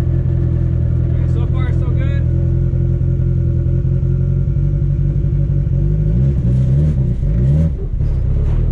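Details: Car on a test drive after a CV axle and driveshaft fix, light acceleration: a low, steady engine and driveline rumble with no rhythmic thump or shudder. The driveshaft feels smooth and the drivetrain is normal.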